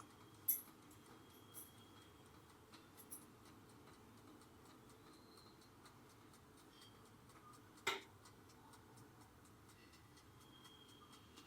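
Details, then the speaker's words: OTG oven at 180°C with a 20-minute timer baking potato wedges: faint steady ticks as the timer nears zero, then a single sharp ding; normal timer ticking and end bell. "शून्याच्या जवळ आलाय आता त्याचा आवाज होईल असा आवाज येतो म्हणजे ते पूर्ण झालं असं समजायचं"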